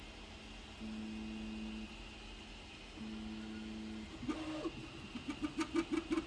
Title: Loud noises Prusa Mk3S+